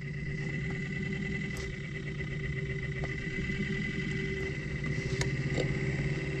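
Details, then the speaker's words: Fiat Qubo heater blower motor at full speed: steady fan whir with a faint uneven scratchy rasp at constant speed; owner suspects it swallowed something or a worn bearing, plans to remove it. "je sais pas si c'est possible qu'il est avalé un truc ou aussi simplement le roulement est est de ou quoi dedans donc il faudrait que je le dépose"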